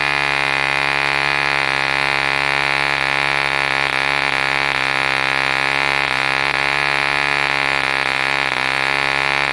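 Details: 1948 E.D. Mark II Competition Special, a long-stroke model diesel engine made in England, first start after a rebuild from two incomplete examples: a steady, high buzzing note with only a slight waver, running cleanly and healthy.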